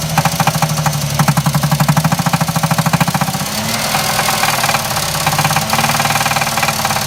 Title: Jeep Liberty Rod Knocking